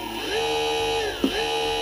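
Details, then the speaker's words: TDPRO 1800W brushless motor with TDPRO Brainpower controller, speed-select wire black to green for high speed. Clean steady whine rises quickly to a high even pitch, dips briefly and climbs back; normal high-speed run. "here that's high speed and now let's try a black to blue low speed"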